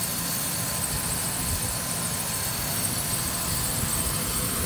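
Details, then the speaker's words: 2008 Ford Ranger 2WD, 5-speed manual, 3.0 L V6, 147,000 miles, with no codes or leaks, idling quietly with a steady, even hum and no knocking or ticks. A normal, healthy idle. "how quiet it is, no knocking whatsoever. This is a 3.0 liter V6 engine."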